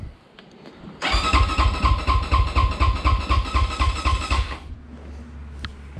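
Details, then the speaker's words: 2020 SSR Motorsports SR300 four-stroke dirt bike with new Lectron carb, full cold start with choke after sitting a month: starter cranks steadily about four beats a second, never catches; no start due to no spark, coil lead found disconnected. "so we know we have fuel we see it in the bowl we know we have air i went ahead and checked the spark and there is none"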